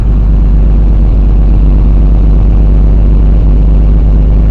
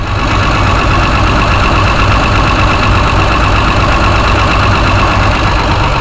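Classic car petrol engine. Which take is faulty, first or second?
first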